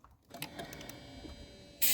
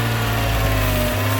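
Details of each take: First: Mercedes-Benz 190E (W201), sat in a field unstarted since 2008, cranked with starting fluid: the starter spins the engine with a rough, uneven churn and sputter, but it never catches. Cranks but no start. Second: Mercedes-Benz 190E (W201), sat in a field since 2008, first start after cranking with starting fluid: steady, even idle hum with oil pressure and no ticking or knocking. Normal idle.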